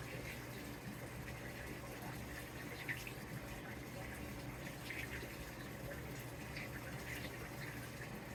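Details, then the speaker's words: New Samsung WA50R5200AW 5.0 cu ft washer on first load after calibration: steady hiss of water into drum, gentle low hum, no knocks or grinding; normal water fill. "does look like it's going to fill it up all the way again"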